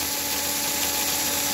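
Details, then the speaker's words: Royal Blue chassis with ball bearing axles and shimmed gear and wheels, drawing 1A at 17V, running flat out. Smooth, steady high-pitched motor whir with minimal vibration and very low noise; brushes arcing slightly; normal running. "What I enjoy the most is what I hope I would see, and that is virtually, minor vibrations and very low noise."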